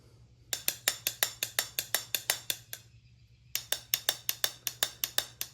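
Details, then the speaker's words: Small-block Chevy pistons removed and struck like bells to check for cracks: bright metallic taps about three per second, and the number three piston rings at a slightly higher pitch than a sound one, revealing a crack. "the one that has a crack has got a little bit higher pitch than the other one."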